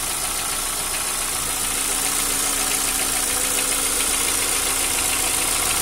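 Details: Light rapid ticking, about three to four per second, over a steady engine idle; hydraulic lifter tick.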